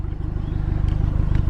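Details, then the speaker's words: Ford Fiesta ST180 with a Milltek exhaust, after the rattle was fixed by welding at the hangers: a steady, even, low idle burble with no metallic buzz or rattle; clean and solid. "she's nicely welded she's clean there's no rattle"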